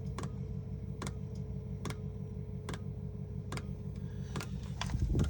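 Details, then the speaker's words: Chinese diesel heater in a caravan after E-10 error, water drained from tank, new filter and Fuel Doctor added, restart with exhaust hot: sharp dosing pump ticks a little under a second apart over low fan hum while excess diesel burns off; normal. "it's just cooking off the excess diesel."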